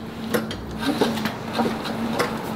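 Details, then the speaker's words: Blown C8 Corvette engine and transmission pulled out, turned over by hand after borescope suggested a cracked piston; gritty crunch about every half second, seeming to come from the bell housing, internal damage with source unconfirmed. "yeah sandy you're right it's definitely deeper it sounds like it's in here though in the bell housing"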